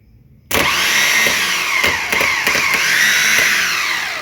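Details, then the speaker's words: Alfa Romeo 147 starter motor after servicing, bench-tested by bridging the main post to the small solenoid post. It starts suddenly into a smooth, even, steady high whine with no grinding or drag: healthy starter free spin. "I'm gonna Bridge it from the main post to the small post you can hear the shutter is running"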